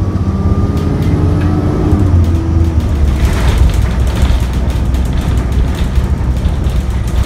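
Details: ADL Enviro 400 double-decker bus with ZF Ecomat gearbox (E93, LX57CLY), recorded on the road: a loud, deep diesel drone holds steady at high revs with no gear changes and little gain in road noise, as the bus seems stuck in limp mode and accelerates poorly.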